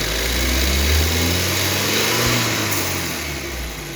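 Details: 2014 BMW 328i N20 petrol four-cylinder (built 06/14) cold start settling into a fast idle with a hissy metallic rattle rising with a rev blip; suspected timing chain noise, unconfirmed.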